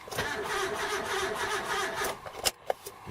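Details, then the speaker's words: Import car after fitting a replacement starter (earlier wrong starters), cranked with distributor disconnected: a couple of seconds of uneven, lumpy cranking with no firing, then clicks; abnormal cranking noise, suspected sticking valve, not confirmed. "the engine sounds like it's got a sticking valve"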